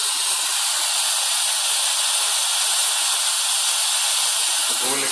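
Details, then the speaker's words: Ponte Vecchio Lusso 1 espresso machine fully up to temperature at about 1.2 bar, steam wand opened into a cup. Strong, steady high hiss holds even for five seconds as the boiler kicks in and the gauge stays stable; healthy steam output. "So if you turn this"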